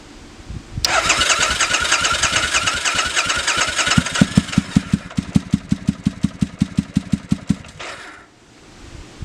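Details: 2005 Triumph Bonneville America, first start after years stored in a shed, choke on: starter churns a few seconds, then slow uneven firing about three a second catches briefly; idle seems set low, possibly one cylinder missing.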